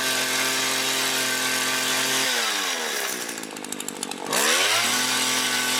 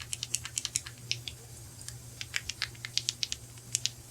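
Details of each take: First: Mac GHT 17 hedge trimmer two-stroke after new fuel lines and carb rebuild, quick throttle pulses: crisp steady buzz dropping off throttle and climbing cleanly back; runs really good, no adjustment needed. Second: Mac GHT 17 two-stroke hedge trimmer, carburetor rebuild: flexing the fuel pump diaphragm by hand gives dry, crisp crackling clicks; it has gone stiff, should be supple like linen, and needs replacing.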